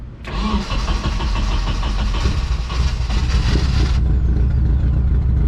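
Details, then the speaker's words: KA24DE turbo 240SX S13, cold start on swapped old used plugs: catches into lumpy, stumbling idle with uneven beats and drops, running very rich; still missing. Owner suspects fouling plugs and still-dirty injectors. "This thing runs hella rich. Let it warm up a little bit. It's definitely still missing."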